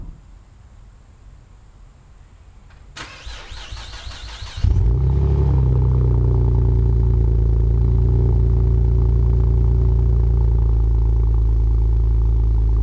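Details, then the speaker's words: Cold start of a V6 5th-gen Camaro with MRT V1 axle-back exhaust: a few seconds of cranking, catches with a bark, settles to a deep, steady, even idle with no misses. "So we're going to kick things off with a cold start, get some acceleration, some interior shots, show you what it's like to hear it on the inside, and yeah, so let's just go ahead and jump right"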